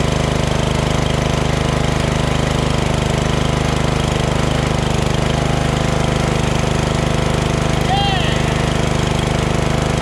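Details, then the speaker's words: Craftsman LT2000 lawn tractor repowered with a Briggs 14.5HP SOHV single after sump gasket repair and new battery, just started; smooth, even low-throttle beat with no knocks or misses; normal running. "very stoked that it just fired up just like that no problem you know"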